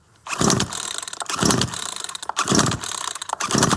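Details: Certified-refurbished Poulan Pro PR4218 42cc 2-cycle chainsaw with an 18-inch bar. Four rasping, ratcheting pull-starts about a second apart, after choke in and priming, never fire; the saw cranks but won't start.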